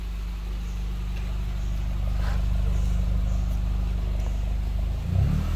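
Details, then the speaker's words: Used car with HKS: smooth, even low rumble with no vibration, miss or knock, short throttle blip near end; exhaust not smoking. Normal idle and rev. "Oh maksudnya halus ya temen-temen halus dan juga tidak getar walaupun hai hai hai hai Hai tropong asap knalpot nya juga aman tidak ngebul"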